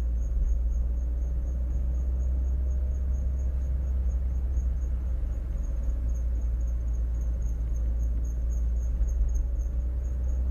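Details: High, thin squeak pulsing with wheel rotation over road rumble that stops when braking, typical of brake pad wear indicator on the rotor; replacing the brake pads fixed it.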